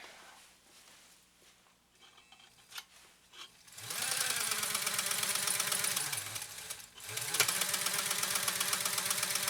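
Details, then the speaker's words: Restored Pfaff 130-6 sewing machine sewing stitch 4 with the foot control pressed all the way down. Quiet start, then a fast, even, steady whirr and needle clatter at full speed; smooth, healthy machine. "All right, now I have my foot all the way on the foot control. Beautiful stitching."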